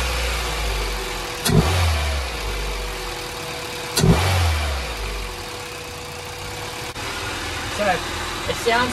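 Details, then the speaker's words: Acura Integra after its LS-VTEC conversion and a new gasket: two throttle blips settle straight back to a steady, even idle, no longer rough or dropping as before. "better the idle's not really rough now it's not bouncing around everywhere when i rev it was dropping down before really rough but now it seems we've gone fine"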